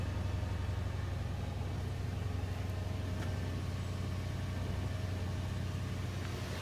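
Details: 2005 Toyota Tundra 5.7L i-Force V8, first cold start of the new year at 0 degrees: low, even rumble with smooth steady pulse, no tapping or misses. Normal cold idle.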